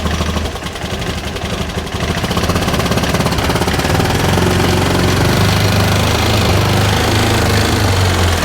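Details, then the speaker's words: 2013 Bennche 500 single-cylinder UTV with knocking and heavy blow-by, O2 sensor and fuel-pump connector damaged: even thump settling to about three beats per second, no knock after the noise source was removed; sounds healthy. "And honestly, I don't hear, I don't hear anything wrong with the motor now since that's gone."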